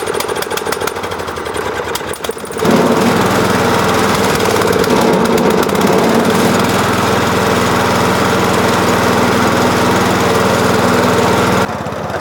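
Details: Old lawnmower single-cylinder running on Everclear, restarted warm after running out of gasoline, throttle unchanged: pull-start catches, then busy, slightly uneven chatter holds steady; running lean and needed a little choke (too much choke also stalls it).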